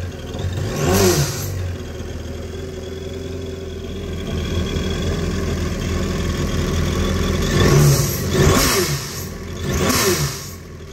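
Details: 2019 Yamaha GP1800R supercharged 1.8L WaveRunner, 135 hours, after replacing the failed supercharger clutch with the newer version: steady idle with a few blips and a clean gear whir from the supercharger. Normal running.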